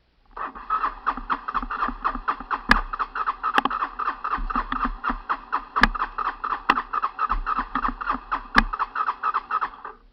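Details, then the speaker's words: Honda TRX 300 ATV, cold start outside in December: steady cranking about four strokes a second with no firing; cranks but won't start, gas smell, owner suspects flooding. "I smell gas which means it's flooded. That's not a good thing."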